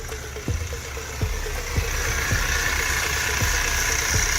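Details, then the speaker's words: Idling 5.7 HEMI in a Dodge Durango that is loud, ticking and dumping raw fuel into the cat; light uneven ticking from belt-driven accessories, not really alternator noise, so the belt must come off to spin the pulleys. "Not really alternator noise, but we'll have to pull that belt off. Spin those pulley."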